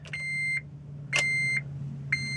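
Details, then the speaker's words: Honda Element won't crank: key-on chime repeating about once a second, lights on but no starter click or cranking; starter or neutral safety switch first suspected, corroded battery ground cable found as the cause. "the uh element I got in to move it and I turn the key and it won't even crank everything lights up looks like it's going to do it and then nothing happens"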